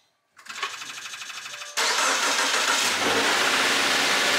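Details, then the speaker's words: 2016 Subaru Legacy 2.5, about 85k miles, cold start after new spark plugs, serpentine belt and throttle body cleaning: brief crank, then steady, even fast idle with no belt chirp; healthy, though slight smoke was seen and valve seals are suspected. "she's purring guys sounds really good"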